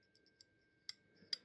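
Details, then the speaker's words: Yamaha SR250 SE motorcycle flasher relay, opened and found broken inside: faint uneven light ticks about half a second apart; left indicators blink slowly, right not at all; faulty flasher relay. "et en fait le courant passe ça fait vibrer le petit truc doré que tu vois au milieu là espèce de pion et ça fait vibrer la plaque ça fait tac"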